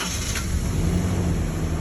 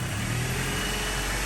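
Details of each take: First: 2003 Toyota Tacoma 2.4L 2RZ-FE four-cylinder: cranks, catches, then uneven stumbling idle; misfire code P0304 (cylinder 4), coil packs swapped to see if misfire follows the ignition coil. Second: 2003 Toyota Tacoma 2.4L 2RZ-FE four-cylinder at idle after valve cover gasket replacement, valve lash adjustment and misfire diagnosis: steady, even rumble, much smoother than before, with a slight stumble left and no misfire codes; still due for a tune-up (plugs look bad).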